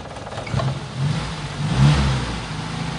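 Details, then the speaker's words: Toyota Kijang engine running rough with a misfire ("pincang"); uneven note surging and sagging. Someone suspected a dead spark plug, but the plugs were checked and all normal, so the cause is unconfirmed. "Itu larinya enggak enak kalau pincang."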